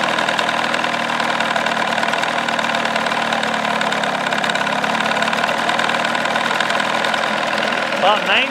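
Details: 1979 Evinrude 35hp two-stroke outboard, lower unit in water, warming up at idle, cover off, before sound-deadening test: loud, even, high-pitched buzz at steady speed, no misses or knocks; meter max 96.4 dB, minimum 83.6 dB; normal idle.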